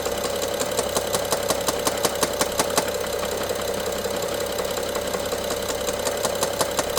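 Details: Top-end knocking and rattling on a BMW F07 with N55 engine, heard by stethoscope loudest near cylinder 1 injector and mid-engine electrical connector; sharp clustered ticking about three per second, worse with more throttle, sometimes stopping for 3 seconds; timing chain inspected, looks OK.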